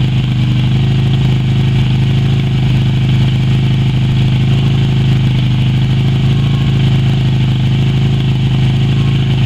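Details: Yamaha Virago XV250 V-twin revived after 6 years in storage, black old fuel replaced with fresh fuel and power restored: steady, even low thrum with no knocks or misses, settling into a smooth idle; normal, healthy idle.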